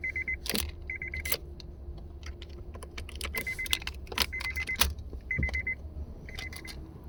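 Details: Vehicle on key turn; only key jingle and repeating chime, no starter engagement or cranking; no crank on key turn, owner suspects bad ignition switch.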